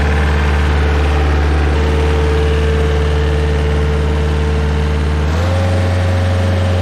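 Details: Stump grinder on its first job after an engine rebuild with new parts. Steady, even low idle with a clean rhythm, then a smooth step up in speed with no knocks or misses. It ran great, though leftover oil burned off the heat shield.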